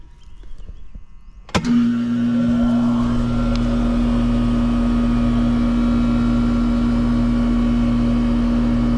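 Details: Trane condenser fan motor after replacement: a click, then the new motor spins up to a steady, even hum with no grinding, rubbing or wobble; healthy fan motor before the amp-draw check.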